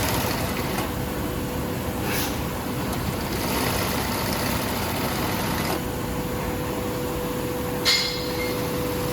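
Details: 8365 high postbed sewing machine, secondhand unit serviced (cleaned, repainted, repaired): steady, even whir with a constant low hum and no knocks or catches; normal running.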